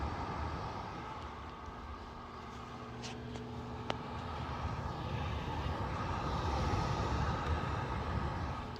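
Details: Lasko tower heater on high, thermostat expected to shut off at 74: steady, even fan rush with a faint low hum and no rattles or surging. Normal operation, though the owner feels an air leak near the top and is unsure if that's normal.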